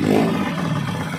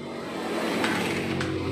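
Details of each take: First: Euro 150 motorcycle after replacing clutch lining and timing gear, previously very noisy and neglected: smooth, even engine note with no knocking, ticking or rattle, now running quiet and healthy. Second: Neglected Euro 150 motorcycle engine, very noisy, idle rising: fast, even metallic clatter over a high idle.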